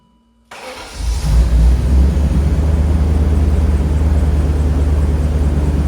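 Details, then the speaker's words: BMW E39 M5 V8 with 238k miles cranks, catches and settles into a loud, raw, chuffing idle, heard in a closed garage; exhaust leak. "I'm sure hear that exhaust leak"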